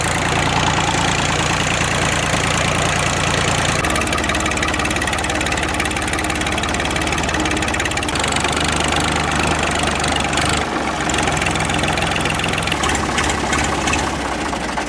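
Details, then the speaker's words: Ford 3910 diesel tractor after replacing the snapped return fuel line, warming up with muffler and cover off: loud, even idle with steady clatter and hard open exhaust note, no misses; no fuel leak, running fine. "that thing sounds pretty good without a muffler but it's pretty loud"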